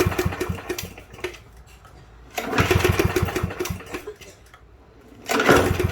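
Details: Free Yard Machines push mower, model 11A-02MG029, not run by its previous owner, after a gasket and loose bolts were tightened: short coughing, sputtering bursts after each pull, dying within a second; won't stay running, carburetor next to be inspected.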